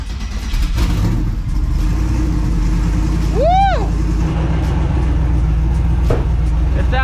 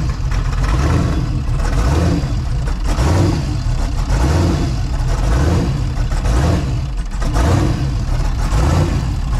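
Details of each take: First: Twin turbo Mustang with Holley showing overheating, after vacuum-filling the cooling system with water, warming up: deep steady rumble with no stumble or surging; runs way better, normal running, bottom radiator hose leaking. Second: Twin-turbo Mustang with a Holley system, started for a cooling-system test after a vacuum fill with water: a deep idle that surges and sags about once a second like a big cam, though it has none; lopey idle blamed on pinched fuel pump wiring.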